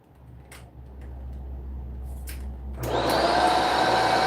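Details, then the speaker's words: Vacuum with touch-and-go intermittent power cut-out while rocked and switched; quiet, then motor surges in abruptly near three seconds and holds a steady whine; cause not yet found. "Something is causing this thing to have a touch and go deal. Don't know what it is yet."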